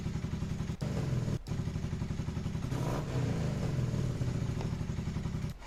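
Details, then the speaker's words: Carbureted motorcycle after correcting an over-turned carburetor idle adjustment screw: steady, even low thump, and a brief rev blip settles right back to a proper idle. Runs much better than before. Normal idle. "All right. Now listen to this. actually like idles at a proper idle. It comes back down when I rev it."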